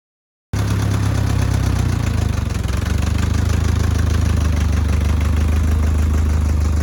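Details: Allis Chalmers D15 Orchard tractor, freshly bought at auction and long unrun, first fire-up: catches right away and settles into steady low idle with even firing and no knocking; runs normally.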